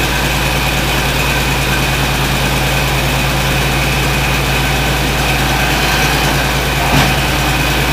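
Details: John Deere 4230 diesel tractor just after cold start, following frame bolt repair: smooth, deep diesel idle with a steady beat, no knocking or stumbling; normal idle.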